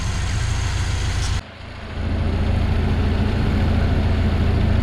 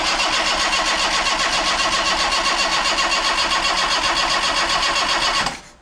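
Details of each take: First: Yugo Sana GL revived after 20+ years, warmed to about 70–80°C with electric fan working: smooth even low rumble holding a steady beat with no misses or knocks after a brief dip; normal warm idle. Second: Yugo Sana GL revived after 20+ years, fresh battery, oil pressure built: steady even starter cranking about four turns a second for five seconds, never fires; crank, no start. Spark plugs checked and replaced next.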